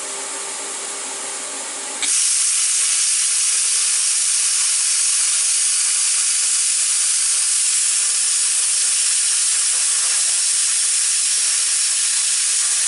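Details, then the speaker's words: Jegs plasma cutter after repair of poorly made air fittings, one fitting still leaking air, cutting 3/16 plate and aluminum; quiet lead-in, then loud steady hiss without sputter; normal cutting. "so when it cuts these two pieces this is 3/16 plate and then by a piece of aluminum"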